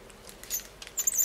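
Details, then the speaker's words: Nearly new Phoenix 3000 spinning reel, handle and spool removed, turned by hand: short thin high-pitched squeaks despite ample grease, with metal debris found inside; squeak later cured by relubrication, knock not fixable. "Ох, как она пищит. Хорошо ручку мы сняли. И смазка есть, вы знаете, она не сухая."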